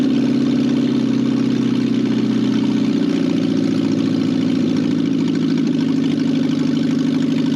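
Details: Barn-find 1968 BMW 1800 four-cylinder being revived after sitting: steady, even idle with a smooth low hum and no knocks, misses or hunting; runs cleanly.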